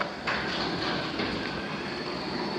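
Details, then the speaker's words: 1980s garage overhead door opener running on battery backup, travelling slower than on mains: steady even whirring drone with light mechanical rattle, no catches; operating normally. "when you got the battery back up you'll notice that they travel a lot slower it's going to work i just want to hear the clicking sound"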